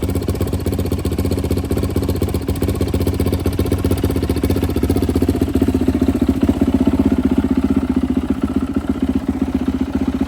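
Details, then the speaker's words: Rebuilt turbo Yamaha YZ450F now 500cc, push-button start, normal idle set on the rich side (rejects leaning to 14.7 AFR): steady even single-cylinder thumping about four beats a second, no misses or clatter. "Likes to idle on the richer side. I've tried to lean this out to 14.7 and it does not like it. So it seems to be pretty happy in this area."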